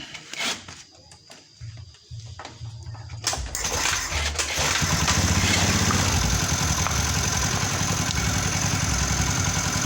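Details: Honda Beat ESP scooter with a charging fault, bypassed by jumpering with a cable; the starter was too weak, so it was kick-started. After a few kicks it catches and settles into an even, quick, steady idle; voltage rose from about 11 to 12.6 V.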